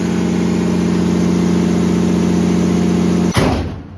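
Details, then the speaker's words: 1969 Dodge D200 Sweptline with a swapped 5.9 first-gen 12-valve Cummins, warming up after a -4°F cold start; battery not charging. Loud, steady diesel clatter at an even idle, about four beats a second, then shut off: normal idle. "this thing's really coming together just love to be able to hear it running under Cummins power in an old 69 swept watch"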